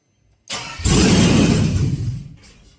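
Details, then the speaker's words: Cadillac Escalade with a 4.8 V8 that had not run in a while; spark, injector pulse and fuel pump confirmed: a short crank, then it catches and runs roughly about 1.5 seconds and dies. VATS was suspected, then ruled out. "Another thing I haven't thought about either is the VATS. Because it starts and dies."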